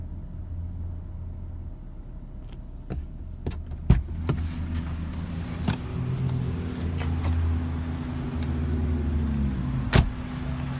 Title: 2017 BMW 340ix Knocking Noise When Gas Tank is Below 1/4 Tank